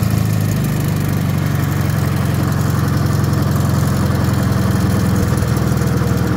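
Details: Wisconsin THD air-cooled twin on the bench, rebuilt with 20-over pistons and bored, fitted with a flush head that tucks into the shroud; steady, even low thump, no clatter or misses; the head makes it quieter; normal running.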